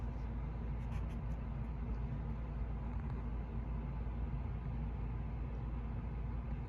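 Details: 52" Hunter Oakhurst II ceiling fan in Fresh White with a 3-light LED kit, spinning much slower than in its February 2023 recording because of a bad capacitor. Steady low hum and rumble with weak motor drive.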